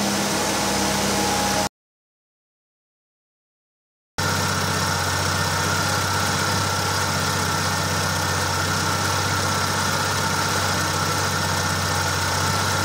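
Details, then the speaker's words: Opel Manta B 2.0E CIH engine after troubleshooting rough running. The wrongly set breaker contact (points) was corrected, and the distributor rotor and cap were refitted. After a brief break it runs with a steady, even beat and smooth hum, no stumbles or ticks. Healthy idle. "चलो इंजन शुरू करते हैं और देखते हैं कि यह अब कैसे चल रहा है , यह कितना सुपर चल रहा है,"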